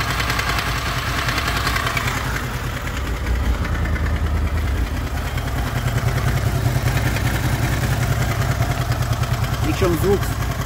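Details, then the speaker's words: Honda VFR800 VTEC V4 at 58,200 on the clock at idle: uneven, light metallic knock over the engine note, heard mainly on the right side from the front cylinder, cause unconfirmed, engine knock. "слышен с правой стороны в основном идет с переднего цилиндра потому что здесь практически его не слышно"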